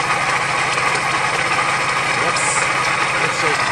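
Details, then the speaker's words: 1998 Geo Metro started after sitting for years, engine shaking, running without coolant: loud rough idle with harsh gritty chatter; water pump sounds absolutely toast, worn water pump bearing. "water pump sounds like it's just absolutely toast"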